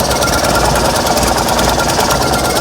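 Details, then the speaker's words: Fiat 126p twin-cylinder engine with low compression, running on 92% denatured alcohol: ragged, sputtering, coughing and uneven firing, only runs with throttle and chokes without it; misfiring. "Zobaczcie tutaj jak prycha nic spróbuję jeszcze raz"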